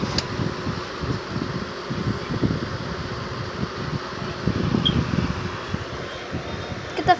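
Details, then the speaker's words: Fan: a steady airy whir with uneven rumbling and fluttering under it and a clatter near the end. The owner does not know why the fan makes these noises. "I don't know why this fan makes noises."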